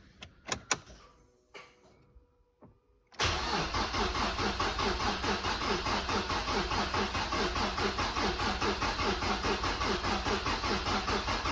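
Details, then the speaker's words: Mazda MX-5 NC with freshly rebuilt engine (new bottom end, head gasket, timing chain, oil pump), reinstalled with starter earth cleaned, cranking to build oil pressure: even rhythmic chug about two beats per second, turning freely; normal starter cranking. "so i've put it back on we'll turn it over again now put everything back together we'll see what happens see if we can build some more pressure"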